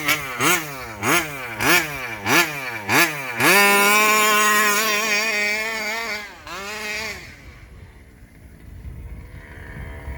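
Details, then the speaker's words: Rovan 5B fifth-scale engine on first run with new carburetor and clutch: after hard running it hangs at a high idle, then blips of throttle bring it back down; owner thinks low-end carb tuning rather than air leak, not sure. "it's got a high idle and then i'll blip the throttle and it'll go back down i don't know what's causing that"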